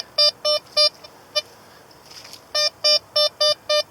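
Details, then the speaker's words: Blisstool V3 metal detector, discriminator toggle on 3: crisp mid-pitched beeps in quick even bursts as the coil sweeps over lead, clean repeatable signal, quiet background — lead pinpoint perfect. "Lead pinpoint's perfect."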